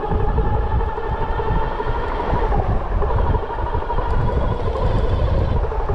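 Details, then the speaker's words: Bafang G62 1000W hub motor on an e-bike with a Flipsky 75100 Pro V2 controller, phase amps possibly too high, gears three years old: loud, gritty, wavering gear whine while riding, heard when letting off the throttle. The nylon planetary gear is damaged. "it sounds funny now that doesn't seem good what is that noise is that is that inside of it when I let off the throttle I hear like this what is that"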